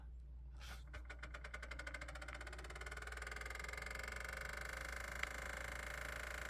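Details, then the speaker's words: Amazon diesel heater in a 30-ft off-grid yurt, running off a converter, just powered on before firing: fast ticking spins up into steady whirring buzz; new noise, owner suspects the fan, possibly a bug inside, or the fuel pump. "I you hear that fan making noise it didn't do that before I'm not sure what that's about either a fan or the fuel pump I know the fuel pump's a little noisy but that's usually a slower tick it sounds like a fan"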